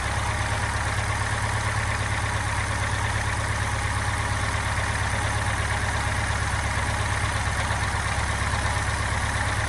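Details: Subaru Impreza STI idling; steady low idle with a faint rapid knock just under three a second, owner suspects piston slap, cause unclear.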